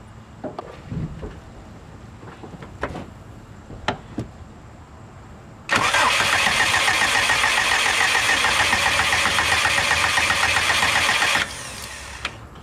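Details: Subaru no-start diagnosis after adjusting a tune value: starter cranks steadily about four turns per second for six seconds but never fires.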